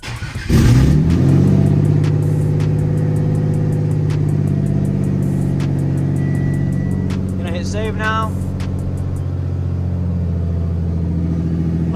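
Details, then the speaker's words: Hood-dump V6 at first start after a supercharger-to-turbo swap, past its cold start: a deep, heavy idle that lopes and bounces, shaking the garage. The owner thinks the bouncy idle is a tune issue. "it's already been through its cold St so this is kind of just its idle it's shaking the whole damn garage and once it settles down kind of has a bouncy idle"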